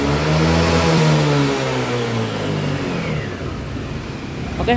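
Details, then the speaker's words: Yamaha Lexi 125 after fixing the injector that held back top revs: strong clean rev winding up and falling back smoothly without hesitation or bogging; throttle now fully free, normal. "Nah sekarang dia sudah tidak nahan ya untuk gasnya sudah lepas semuanya jadi tidak ada nahan-nahan untuk gasnya oke ya jadi Pik permasalahannya di injektornya ya"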